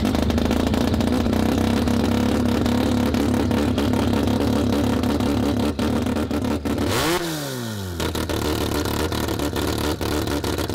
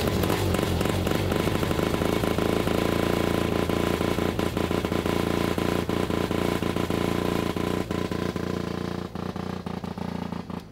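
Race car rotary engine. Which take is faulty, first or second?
second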